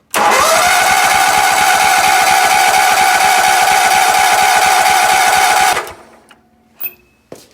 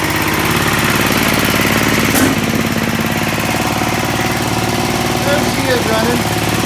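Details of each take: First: Sears ST/16 garden tractor, long-stored hoarder find with cut fuel line; even starter cranking about 3.5 beats per second with whining drone but never fires; crank no start, owner suspects bad fuel pump. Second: Sears ST/16 garden tractor, long unused and from a hoarder's yard, running after a new fuel pump, a carburetor swapped from another tractor and rewiring; the small single keeps a steady chugging beat with no stumbling or dying, normal running.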